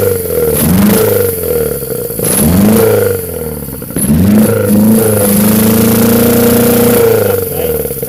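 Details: Honda Civic EF with B18C4 swap on OBX individual throttle bodies, first startup: repeated rev blips climb and fall raggedly with stumbling between pulls, rough running; owner suspects the ECU is too far from standard and will try a different ECU.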